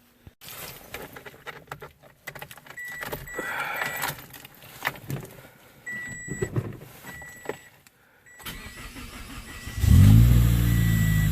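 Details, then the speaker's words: 2003-08 Toyota Corolla/Matrix, 1ZZ/2ZZ engine, after starter replacement with battery and MAF reconnected: after door chimes it cranks briefly, catches at once, and settles into a smooth steady idle; the light hiss is just the cold air intake. "You hear that hissing? It's just the cold air intake on this thing. Alright, good to go."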